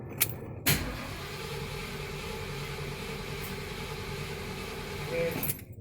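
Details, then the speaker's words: 1977 Mercury Marquis 400M V8 cranking during compression test with plugs out: a couple of clicks, then steady even starter churn for about five seconds; cylinder reads almost 120 psi, healthy compression. "Almost 120 pounds. 120? Okay. Let's look at that. That works. 120."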